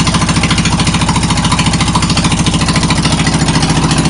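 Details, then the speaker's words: John Deere lawn tractor at idle with muffler removed, awaiting a new one: very loud, sharp, evenly spaced exhaust pops about three and a half per second; loud exhaust from missing muffler. "there I just thought I'd let you hear what it sounds like with no Muffler"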